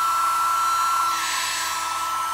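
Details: Sewing machine motor converted for a lathe/grinder spindle: brush wires swapped to reverse rotation, commutator cleaned, wiring repaired, plugged straight into mains at full speed. It gives a steady high whine and airy brush hiss with no arcing or sparking, running normally.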